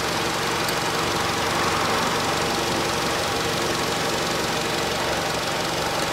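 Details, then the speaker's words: 2012 Nissan Qashqai 2.0 petrol after spark plug replacement (NGK PLZKAR6A-11), warmed up, engine cover off; settles into steady even idle near 700 rpm, smooth hum, no misfire; normal idle. "автомобиль прогрелся сам вышел в свой режим по двигателю слышно обороты рабочего него получается около 700 оборотов"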